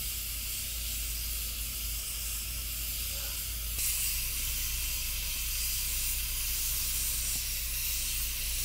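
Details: Afghan Kazan aluminum pressure cooker cooking on a wood campfire: steady soft hiss and small puffs of steam from the valve, no sputter or shriek; normal venting while cooking.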